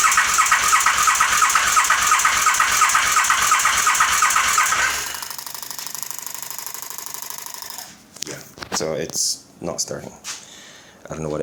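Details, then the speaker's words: 2008 KTM 950SM carbureted V-twin that won't start: steady cranking at about three beats a second for five seconds with no firing. Rear cylinder has spark and fuel, front intake is dry; the cause is unknown. "I'm swinging, swinging, swinging. I'm not It's not starting. It doesn't even sound like it wants to start."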